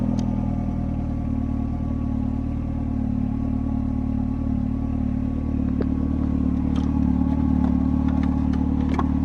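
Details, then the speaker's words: Mercedes-Benz SLK R170 with warning lights on and no start, light switch module wiring disconnected: starts and idles smoothly with even low hum, no knocks; fault traced to the light switch. "Pannaas virta päälle Katos, nyt tuli virrat. Lähtiskö käyntiikii? Sehän lähti"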